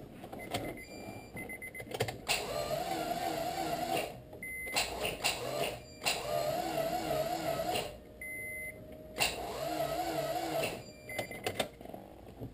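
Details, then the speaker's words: Integra no-start: repeated bursts of wavering high starter whine without cranking, the starter spinning freely without turning the engine even on 24 V from two batteries; fuel pump audible, distributor replaced earlier; cause suspected, not confirmed. "we're battery is charged and we're going to do it again same deal battery the stutter is just whining"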